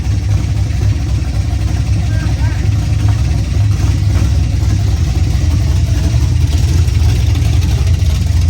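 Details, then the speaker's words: Freshly built 355 in a 1974 Camaro with open headers and 1.6 rockers, 50 psi oil pressure at idle, no leaks: loud lumpy idle with faint light ticking on top, owners suspect just valve train; valve train ticking at idle. "so we're gonna investigate the sound that we think we hear but it is also open headers so we might just be hearing valve train"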